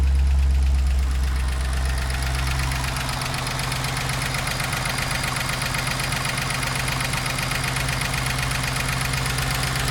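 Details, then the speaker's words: 2012 Chevy Caprice PPV, 6.0L L77 V8 with cylinder deactivation, just over 100,000 miles. Steady light ticking about four a second over a smooth idle with no misfire, from the right bank; it started last week. A failed lifter or rocker is suspected. "Definitely coming from the right bank, right around here. This side is quiet. I put my ear up to it, but yeah, definitely a click, click, click right in this area here. So either a lifter failed or a rocker or something failed."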